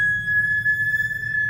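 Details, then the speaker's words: Infiniti with 5-plus-litre engine, Brembo brake pads fitted elsewhere: piercing steady high-pitched squeal holding one pitch; pads unsuitable for this car. "це колодки брембо на Інфініті ставили не ми клієнт не витримав такого звуку приїхав міняти колодки"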